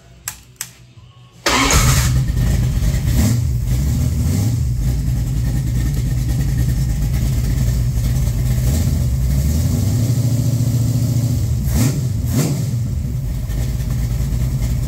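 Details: 360 LA Mopar stroker V8 on test stand (4-inch crank, Lunati Voodoo hydraulic roller cam, Speedmaster CNC heads, 780 carb, 10.4:1): faint clicks, then catches into a deep steady idle with light blips; sounds healthy.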